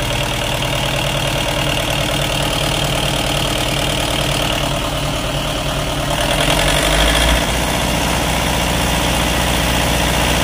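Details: Hard-starting diesel genset after water-contaminated diesel was drained and replaced: the engine catches and settles into a steady, even diesel clatter at idle with no stumbling or misses; normal idle.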